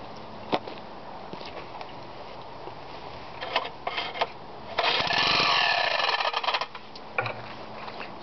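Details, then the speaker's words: Homemade rotary-piston engine built on a Briggs block, few drops of gasoline in intake: repeated rough pull-start attempts with a harsh, high scraping screech from the recoil starter on the longer pull; the engine never catches. "like we got a little bit of U recoil starter uh screeching or something going on there"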